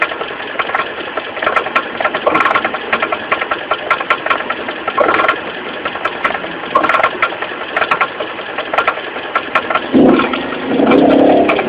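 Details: Mitsubishi 4G15 carbureted four-cylinder at idle: a loose, uneven knock about once a second from low at the front. Loose crankshaft pulley, fixed by tightening it.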